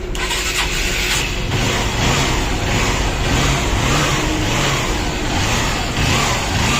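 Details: Honda Shine motorcycle after repair for timing chain noise: starts cleanly and revs up and down smoothly, no chain rattle or ticking; timing side sounds healthy.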